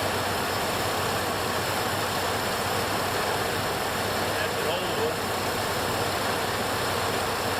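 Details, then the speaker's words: 1968 Buick Electra 225 with newly installed ACES Killshot 2 EFI, fuel pressure 60 psi, no fuel leaks: steady, even, quiet idle with a smooth unbroken exhaust note, no misses or knocks, settling down nicely; normal idle. "At least this one's quiet. My neighbors won't be pissed. Hear that? It's smoothing. Doing its thing."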